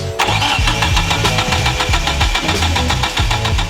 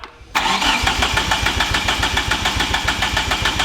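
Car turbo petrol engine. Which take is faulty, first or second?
second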